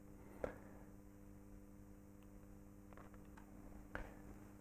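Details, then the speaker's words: Antique purely mechanical reed frequency meter fed 220 V AC through a variac. A quiet, steady low hum with a few sharp clicks; the reed vibrates evenly at exactly 50 Hz, so the meter works normally. "can see there is a mechanical vibration at exactly 50 Hertz"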